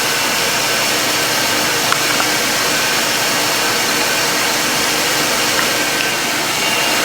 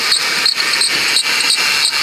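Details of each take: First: 2006 Ford Taurus 3.0L V6 after idler pulley replacement: steady even engine-bay hiss, no squeak or chirp; old pulley's in-and-out wobble gone, belt drive running quietly. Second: 2006 Ford Taurus 3.0L V6 with a worn serpentine-belt idler pulley bearing, before replacement. Sharp, high chirps about three per second; the noise had calmed somewhat from earlier.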